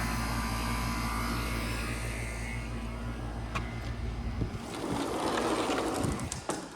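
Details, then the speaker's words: Outdoor AC condenser during home inspection after running about 15 minutes and cooling well: steady quiet even hum, no rattles or squeals, then handling noise; running normally. "but i want to see how does it sound oop sounds good this is what an ac should sound like nice and quiet"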